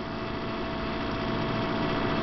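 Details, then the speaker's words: 48-inch stainless GE refrigerator made in 2000: a loud, droning vibrating hum that builds when the compressor kicks on after the freezer closes; it happens intermittently several times a day and the owner suspects a fan touching something. "it has a loud vibration hum."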